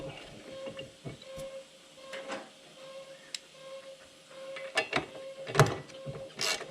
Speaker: Okay, Guys, I'm sure you guys can hear that in the background. What that is his compressor is got some sort of valve or something